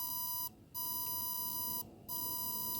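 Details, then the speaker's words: Lead-acid battery desulfator pulse generator: the cycle varies (about 580/220 ms) rather than holding a fixed rate. A steady high whine drops out twice at uneven spacing, a croaking sound with no clear regular frequency. "it really varies it doesn't seem to be a regular pulse and a regular cycle here as you can hear from the sound it's um not a clear regular frequency it sounds a bit croaking and I think that is reflected in the in the scope"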